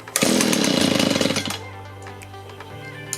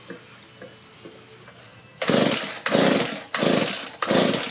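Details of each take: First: Discarded Echo two-stroke leaf blower after fuel line replacement, switch turned on: raspy bursts into life at high revs for about a second, then drops to low idle; starts and runs on choke before carburetor adjustment. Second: Discarded Echo two-stroke leaf blower, freshly fueled: about seven quick rope pulls, each a short recoil whirr with no firing stroke; cranks but won't start, suspected no fuel from bad fuel line or gummed carburetor.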